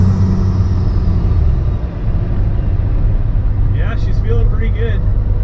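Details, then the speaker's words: 12-valve Cummins diesel truck with compound turbos, warmed up, after long-fought boost leaks finally sealed: boosted launch through the gears reaching about 20 psi, deep even drone with no chuffing or hiss, builds boost normally; off-idle response crisp, running great. "all right folks well uh that is definitely one in the win column i've been fighting boost leaks on this thing forever so nice to have that thing sealed up off idle response is feeling very nice and overall the truck is running great"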